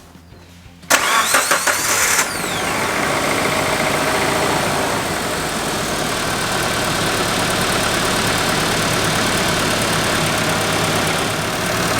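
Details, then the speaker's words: 1995 Geo Tracker first start after thermostat, valve cover gasket, spark plugs, wires and air filter replacement, coolant still burping; short crank, catches cleanly, smooth steady idle with no knocks or misses: normal start and idle. "Boy, the motor sounds good though."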